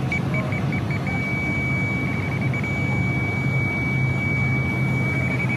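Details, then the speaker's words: Hussmann grocery deli case on Emerson rack, 70 lb refrigerant loss: ultrasonic leak detector at full sensitivity, quick beeps merging into a steady high tone over case fan rumble at the aluminum evaporator coil; leak located. "And you can also hear it too through the headphones. There we go, cranked all the way up. It's not quite as loud of an output as what the other one is."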